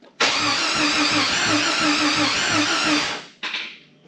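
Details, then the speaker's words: Long-sitting Jeep XJ with new battery terminals, first start attempt: about three seconds of uneven cranking at roughly three beats a second with a sharp metallic tap; owner suspects a failing piston pin. "Wow. I can hear the piston pin hitting the cylinder walls, I'm pretty sure."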